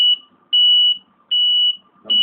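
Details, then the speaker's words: Model 650S motorcycle anti-theft alarm, set to low sensitivity, triggered by someone sitting on the bike: shrill steady beep repeating about every 0.8 seconds as a brief warning, then stops. "ก็ไม่ไม่ไม่ใหญ่มากงั้นมันเป็นการร้องเตินแค่นี้นะครับแล้วมันก็จะหยุดไป"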